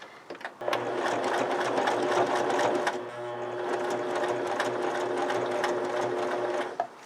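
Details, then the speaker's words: Sewing machine stitching saddle leather at slowed acceleration with the standard needle unchanged: steady motor hum, needle beat about three to four a second, slowing and straining midway; labored stitching through thick leather, a top job for this machine. "And there's a change in sound because it's a top job for this machine."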